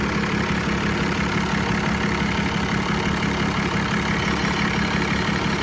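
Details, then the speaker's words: 1990 Dodge Ram D250, 12V Cummins diesel: steady, even diesel clatter at idle after a hard start, no misses or knocks. Zero blow-by; sounds healthy. "No blow by. So it does sound good."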